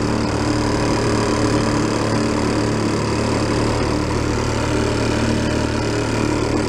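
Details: 1937 Sears Water Witch 2.5hp outboard, 83 years old, revived after about 60 years in a shed, mixture set richer: steady buzzing drone, constant pitch under load on water, no stumbling or knocking, getting warm; normal running.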